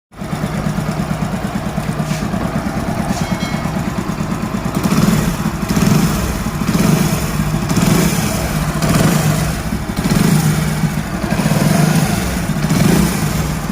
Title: Hero honda bike crank bearing noise problem ! बाईक मै क्रैंक बेरिंग की अवाज कैसी होती है #hellogagan